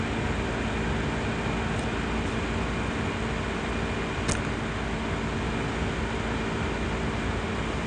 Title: CPU Fan Gets Loud Noise On Asus laptop Before CoolCold Vibration